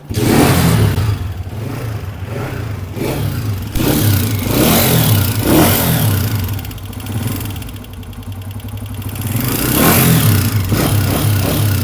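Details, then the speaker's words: Honda CG 125 single-cylinder engine revving with dry metallic ticking over the exhaust: excessive tappet noise from poor tappet adjustment or failing push rods; fixed by push rod replacement and tappet adjustment. "इस bike के engine के अंदर से यह आवाज जो आ रही है यह बेसिकली टैपट्स की आवाज है।"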